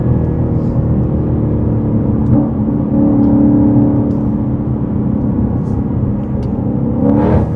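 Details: In-car pull, Whipple Stage 3 supercharged Super Snake with new carbon fiber intake and larger filter boxes: supercharger whine climbing with revs, strong and clean, no stumbles; healthy supercharged acceleration.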